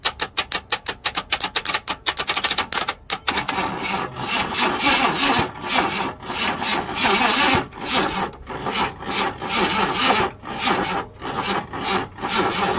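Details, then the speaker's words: 1968 Buick Riviera parts-car engine being revived, cylinders just freed up: slow, uneven cranking for about three seconds, then a rough rasping churn as the unhappy starter struggles to turn the engine; the battery is to be checked next; cause unconfirmed. "We were able to get the crankshaft moving. The starter's not happy, so we're gonna try and keep it going."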